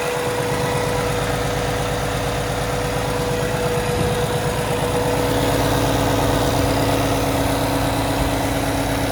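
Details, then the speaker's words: 2017 Kenworth T680, Cummins ISX diesel, automatic, 577 miles, checked at idle for leaks and fan hub: even steady idle with regular low throb, no knocks, misses or rattles; healthy. "We'll have a listen to the engine running. We'll make sure the fan hub is free and clear and there's nothing else dripping underneath this truck, and then I'll shut her down."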